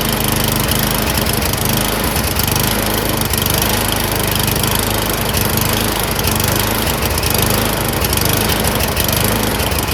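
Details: Snowblower small engine surging, speed rising and falling about once a second while hunting for revs; cause suspected, not confirmed.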